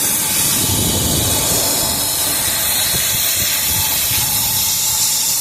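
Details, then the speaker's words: Isuzu NPR/NRR cab-over truck with a 5.2 diesel, intake pressurised with a charge air cooler test kit: a steady loud airy hiss from the intake pipe flange gasket, a boost leak behind the whoosh, derate and low-boost check engine light. "Oh yeah, yep, I hear it. Ooh, right there. Ooh. Yep, that's where it's leaking, right there. Right where the intake pipe goes in."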